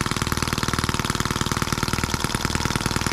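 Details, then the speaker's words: New scale model Atkinson-cycle engine (M14/EM1), first start right out of the box, no throttle, own exhaust: rapid, evenly spaced firing pulses holding steady rhythm, no misses or surging; runs well, a bit fast. "that crazy thing runs pretty good a bit fast but listen to it before it was great a cool little engine"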